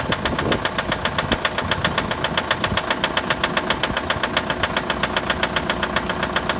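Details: 2011 Mitsubishi L200 with 4D56 diesel at cold idle: sharp, very even knocks at about 150 a minute over the idle; cold-start engine knock, cause not identified.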